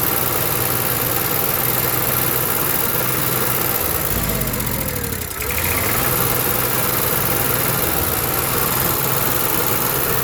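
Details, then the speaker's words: Onan Marquis Gold 5500 generator engine hums then sags and recovers about every ten seconds, only staying running with the choke manipulated: lean surging from clogged carburetor jets, before carburetor cleaning. "okay the only way i can keep this on and running is a mini manipulated choke so we're going to take this cardboard apart and see what we can find"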